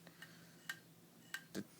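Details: MacBook (circa 2006-07, Snow Leopard) won't boot, shows folder with question mark after CD burn attempt and restart: faint sharp irregular clicks about every half second; hard drive clicking.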